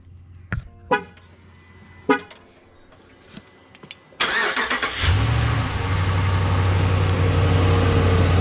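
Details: 2017 Ram 1500 5.7 Hemi, 50,000 miles, cold start after replacing the passenger exhaust manifold gasket and studs for startup ticking: after horn toots it fires and settles into a steady cold idle with no manifold tick.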